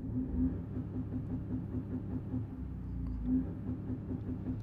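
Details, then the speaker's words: 2016 Ford Focus EcoBoost under acceleration toward 90: engine drone stumbles with irregular choppy rhythm, misfiring under load with poor performance; exhaust found leaky. "you can see that i'm getting up to ninety but listen to this when i miss fire"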